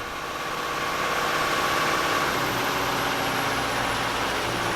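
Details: Volvo Penta marine diesel on a Fountaine Pajot catamaran, back at idle after about 2000 rpm, following exhaust elbow and turbo replacement: steady, even idle with faint turbo whine on top, no knocks or misses; running normally.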